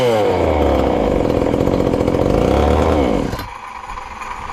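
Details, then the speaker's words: Ported little 2375 chainsaw, still on its regular fuel and nearly out, before switching to methanol: strong, even rev for about three seconds with a slight rich burble, then drops back. Runs healthy, just a touch fat. "not too bad and she's still fat and happy there"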